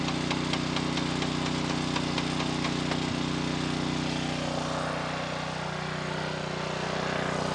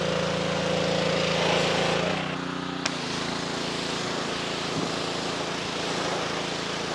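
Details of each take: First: A 2.4-gallon Simpson pressure washer with the water on runs its small engine steady, with light ticking and no labouring. Water flows through but the pump isn't engaging or building pressure. A bad pump is suspected, and no pump oil fill has been found. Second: After a pump replacement (an unloader repair was tried first and failed), a 2.4-gallon Simpson pressure washer with no pressure now runs normally. Its small engine holds a steady, even drone that dips slightly as the pump takes load, then runs smoothly.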